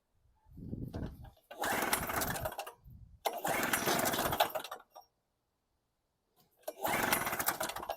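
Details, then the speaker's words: Storm Cat 700W Harbor Freight generator, 63cc two-stroke, fitted with a new no-name test spark plug: buzzes to life for about a second, then dies, three times over. Same symptoms as before; carb to be ultrasonically cleaned next, cause unconfirmed. "Plug didn't make a difference, same symptoms, so third time's going to be a charm."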